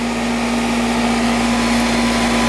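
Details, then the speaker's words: Older Ruud AC condenser, likely R22, filters just changed: compressor starts with a steady low hum under smooth fan rush, no buzzing or stalling; running and cooling normally. "Hear it? Compressor starting. That's what we want. It's been cooling okay, right?"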